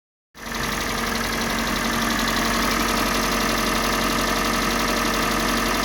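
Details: Kia Sportage 3, G4NA engine on Total 5W30 oil: settles into idle with a light, fairly regular tapping over the hum; engine knock at idle, cause suspected but not confirmed.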